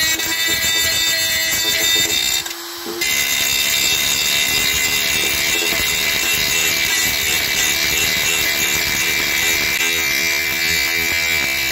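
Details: Parkside PGS 500 A1 500 W brushed 220 V die grinder grinding: steady high-pitched whine, even across the run with one brief dip; normal running.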